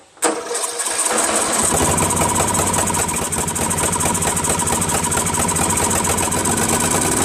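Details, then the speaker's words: First start of a Craftsman 13.5HP mid-engine riding mower's replacement engine, magneto wired directly to the ignition switch. It runs rough and lumpy with irregular backfire pops and surging. Owner suspects a slightly sheared, hammered-in flywheel key has put the timing off. "has a lot of backfiring as you can hear I have a feeling that the keyway is not right because when I put that key way in right I had to basically bang it in so I think it might have sheared it a little so I think the timings off just a little bit"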